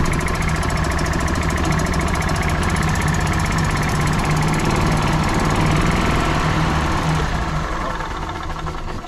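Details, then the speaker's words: 1996 Club Car DS gas golf cart engine running rough shortly after starting without choke, a little throttle pumping; uneven lumpy single-cylinder thumps around 210 per minute; spark plug to be checked next. "so you can hear it's kind of got a little bit of a let's check and see if this has got us a ripping it or something or something"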